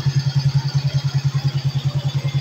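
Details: Suzuki Smash 110 after its no-start power problem was fixed, running stock without a battery: even single-cylinder thump at about eight beats a second with no misses or knocks; normal, healthy idle.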